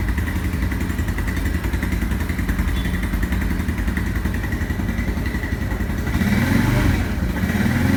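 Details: Yamaha Fazer/Factor 150 single-cylinder running: faint steady high-pitched bearing-like whine, sometimes with error 46 as battery stops charging; source suspected, not confirmed.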